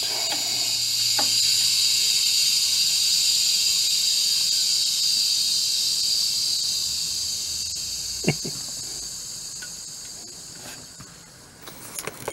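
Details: Old Dell desktop being revived, powered up with one of its hard drives connected: steady high hiss of fans, faint drive whir and a few clicks; the machine powers up and runs normally.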